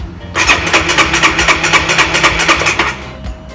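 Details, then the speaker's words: Honda RS150R motorcycle, before spark plug change: fast even starter whirr with quick cranking pulses about two and a half seconds, never catches; won't start after three tries, owner suspects the long-unchanged spark plug. "So. Tried 3 times already but still can't start it up."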